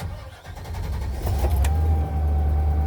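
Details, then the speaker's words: Gasoline replacement for a sold John Deere 5105 diesel, started in the driveway: cranks briefly, catches fast and settles into steady, even low idle; best start in a long time, fuel pump humming heard afterwards. "that's the best she started in a long time my goodness"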